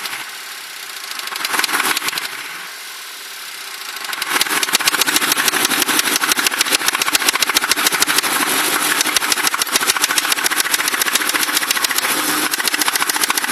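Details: Ford Crown Victoria engine recently developed a knock despite good maintenance; catches after a short crank, then a sharp steady tick about three to four times a second at idle; owner suspects rod knock, cause unknown.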